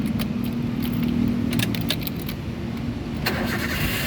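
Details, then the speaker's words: 2009 Toyota Avanza 1.3 G manual, about 130,000 km, used car inspection start after checking oil level; keys rattle, engine catches at once and settles into steady idle without stumbling; normal engine start. "mobil yang bagus dianya lainnya langsung jreng"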